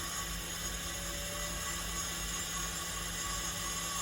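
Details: Olivetti M280 80286 PC with MFM hard disk controller, at power-on: harsh steady whirring grind with thin high whines, never settling to a clean spin; hard drive judged dead.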